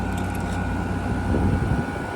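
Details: 2016 Frigidaire 5,000 BTU R410A window AC, fan on, coil cold throughout indicating full charge, 45 degrees: steady fan whoosh with constant mid-pitched hum, no rattles or grinding; running normally.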